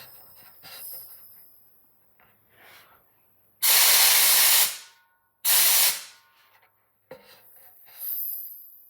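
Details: Trash-picked air compressor after fixing leaks and rebuilding the regulator, cut-off at 150 psi, regulator set about 80 psi: two strong, even one-second air-gun blasts with clean cutoffs; normal flow.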